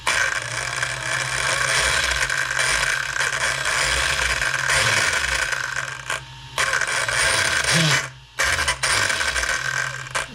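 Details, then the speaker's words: Arrma Kraton 6S 1/8 scale RC truck with all three diffs checked and the center driveshaft wobbly: loud rapid ratcheting clicks over motor whine, cutting out as throttle drops; the center differential drive cup was found loose. "it still has a loud sound, so I think something's still off with either. I don't think this being bent could cause that sound, but I can try replacing that drive shaft and then maybe relook at this center diff again."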